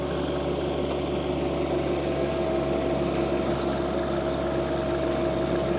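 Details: John Deere 2025R compact tractor driving a Tarter RT205 rototiller after its seized top gearbox (oil leaked out) was replaced. Steady drone and even gear whine with no clunks or grinding while working soil; healthy drive.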